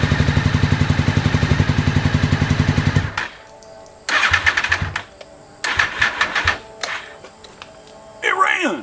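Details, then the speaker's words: 2001 Honda VFR Interceptor after nearly a decade in a barn, first start on jump box, spark and airflow confirmed, old fuel; throttle half open, more or less has no effect. Lumpy uneven putter, stalls and catches in ragged bursts: misfire, only one cylinder firing. "look I got the throttle halfway open and adding more or less doesn't do anything yet but it's running"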